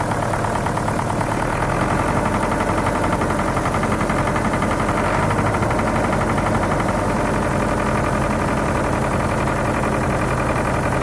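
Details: Diesel engine at idle with a hard, quick, persistent knock; injection pump and injectors tested fine on the bench and injectors were replaced, but knock remained; one pump section was overfueling, and reducing its delivery cured it.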